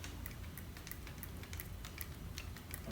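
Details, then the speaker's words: Panasonic Lumix GH5 with accessories still attached, shaken: faint irregular clicks about three a second, something loose rattling inside; owner suspects the floating sensor, cause unconfirmed; internal rattle. "so stop the record here now here's the issue there's some shaking going on"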